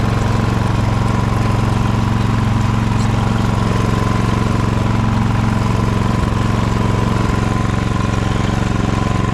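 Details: Ariens snowblower test run after friction disc replacement: small single-cylinder engine at a steady, even beat, no knocks or surging; healthy, smooth running.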